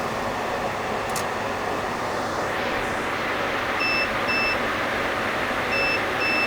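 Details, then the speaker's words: HP EVA6000 disk storage rack at power-on: steady fan roar with paired high beeps about every two seconds from shelf unit one, the lowest pitch. Shelves beep on faults such as power loss or Fibre Channel loss, pitch set by unit number. "if this these shelves have a problem for example power loss for example loss of fiber channel connection they beep and the beeping sound the pitch of the beep is corresponds to the unit number so the lowest unit number here has the lowest sound"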